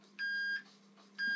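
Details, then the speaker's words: Multimeter continuity test on a BMW R1200/1250GS heated grip wiring, chasing a persistent heated-grip fault code after repair: two clean, steady high-pitched beeps about a second apart confirm the circuit is connected and intact. "you hear the bib [Music] okay so everything is connected here"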